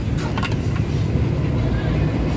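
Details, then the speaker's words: Suzuki Multicab after XADO industrial engine treatment (carbon chroming): previously gravelly, now a steady low, even, quiet idle with no rattle; only remaining noise is the damaged exhaust; normal idle. "Sige, so ito yung andar guys. Kanina napaka-gravel ngayon. Medyo tahimik na yung andar. Ang maingay na lang is yung kanyang tambutso kasi sira yung kanyang exhaust. So ayan, after treatment tahimik na yung idling."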